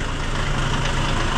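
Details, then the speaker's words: Hyundai Starex with D4CB diesel engine, hood open, steady idle: a busy metallic rattle, like something slapping at the front of the engine. "Narinig nyo yung ingay mga bossing. Ayan o. May parang humahampas dyan dito sa harap na makina."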